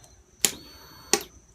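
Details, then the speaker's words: 2003 Kawasaki ZX6R 636, 15,000 miles, on a charger: two sharp dry clicks from the relay box with no cranking, voltage dropping below 12 V; earlier hard warm restarts with slow cranking. Starter relay clicking, no crank, cause unconfirmed. "but that clicking noise is coming from this little box right here and it still drops below 12"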